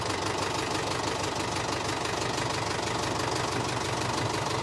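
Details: 1974 Mercedes O309 bus with OM314 diesel idling at a steady, even clatter of about two beats a second, restarted after adding 6 quarts of oil; oil pressure now present after fuel lines and lift pump were fixed; normal idle.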